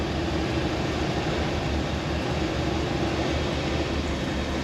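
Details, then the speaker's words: 1976 Dodge Shasta RV engine just started, in park with the brake on: holds a steady raised idle that doesn't settle down; idles high. "there we go she starts to idle high"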